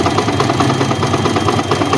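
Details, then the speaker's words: Old Yamaha Vixion motorcycle idling, exhaust blocked by hand: steady hollow knock from the cylinder block, louder when hot, with rough running and power loss when warm; piston slap. "dan suara pegang ada suara ketukan dari bagian blog ini misalnya sampai keras ini kalau panas tambah suaranya coba kasar ya"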